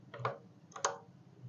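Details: Honda PCX keyless system after a no-connection fault left it locked: two crisp clicks about half a second apart in a quiet room as the keyless solenoid pulls in normally again, remote working after jumpering a keyless CPU wire to stimulate it.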